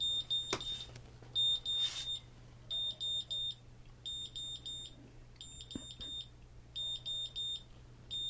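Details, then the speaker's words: GZAIR SA104 electrochemical carbon monoxide detector, reading pushed over 200: shrill high buzzer beeps in quick bursts of four, repeating about once a second, the high-CO alarm. "Get it up over 200 so we can hear that alarm again."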